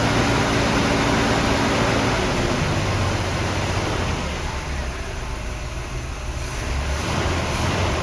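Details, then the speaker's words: 1975 Oldsmobile Delta 88 Royale after Quadrajet carburetor top rebuild, cold, choke plate not yet fitted: engine catches and settles into a steady rumble, slightly rough from lean jetting; runs on its own power without flooding. "success running on its own power no flooding so i'm going to hook the choke back up now it's running a little bit rough because these are jetted pretty lean and the motor is cold and there's no choke"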